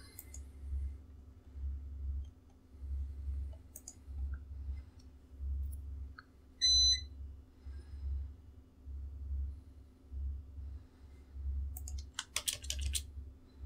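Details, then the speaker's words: UPS feeding TrueNAS servers via NUT, mains power cut for test: one short high beep over low pulsing hum; UPS on-battery alarm. "wyłączam zasilanie upsa jak słyszycie UPS zaczyna hałasować"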